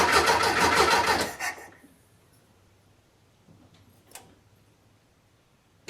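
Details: VW Beetle after fitting a new Pertronix distributor and coil, fresh gas added; quick even cranking just over a second at about three and a half beats per second, never fires; fuel smelled, timing suspected, not confirmed.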